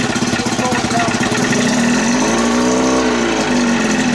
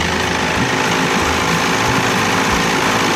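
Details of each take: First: 30 hp Evinrude outboard idling with no thermostat, idle stop screw fitted; metallic rattle and brief rising whir as the slowly spinning starter drive jumps up and hits the flywheel while running. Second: 30 hp Evinrude "Dirty 30" outboard, cold with no thermostat, new throttle cable, still needing tuning: loud, steady, even buzzing idle with no misfires, set a little fast on purpose; runs pretty well.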